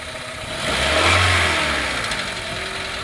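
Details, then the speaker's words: Engine being revved by pedal with fluid sprayed over the front and a leak being traced: rises and settles with a harsh, rattly metallic tapping on the rise; engine knock, cause unknown. "hear that metal tapping noise? It doesn't sound good."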